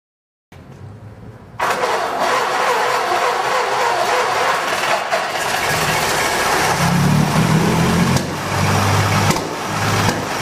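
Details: 1920 Seagrave fire engine, freshly fully rebuilt motor, first start in 60 years (9/4/2010), compression release off: silence, then it catches at once and settles into a steady, slightly lumpy run with mild rev swells; sounds healthy.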